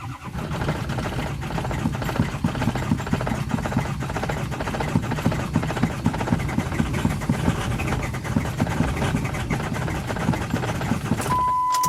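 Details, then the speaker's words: Diesel truck starting in about 20°F Maryland cold. After glow-plug cycling it makes a long crank, one failed attempt, then catches and runs rough with an unsteady low clatter. Too cold for the diesel to fire; the glow plugs are heating the combustion chamber more. "All right, so you guys heard that it tried to start and then it said, no, thank you. That's because this thing is so cold that the diesel is not able to pop off."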